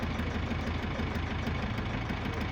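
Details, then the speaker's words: Gazelle van with Cummins ISF 2.8 diesel, 165,000 km, misfiring and smoking, idling during cylinder cut-out test: hard regular knock about six per second; third cylinder found to be knock and smoke source, likely leaking injector causing micro hydro-lock. "А вот он и источник стука Похоже да Третий цилиндр источник стука и дыма"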